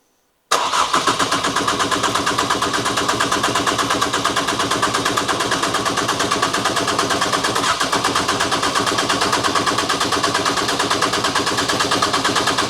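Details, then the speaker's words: Ford Fiesta ST, newly installed engine, first start with injectors plugged in but ignition coil pack unplugged: steady starter whirr with even compression pulses about three a second, never catches; crank sensor suspected first, actually no spark. "It's dead as a dodo, is it? Where's >> the engine? Like it's not starting. Is it? I'm wondering if it's a crank sensor or something or cam sensor."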